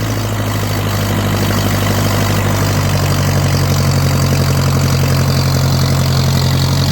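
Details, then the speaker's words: Ferguson tractor (driven alongside a 1940 Ford 9N), parked after a drive; deep, steady growling idle with an even low beat, no knocks or stumbles; starter is a shifter position; normal healthy idle. "the fergusons are unique in that the starter is a position on the shifter this one sounds the meanest of all of them it's got a real growl to it"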